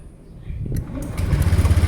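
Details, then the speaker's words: Motorcycle electric start after repairing a failed dry battery; the first and second start tests. A brief strong starter whir, then a quick even single-cylinder putter: a normal, clean start. "Dan apakah mampu untuk starting motor starternya kita coba nah dia hidup ya oke kita coba kembali satu ini yang kedua"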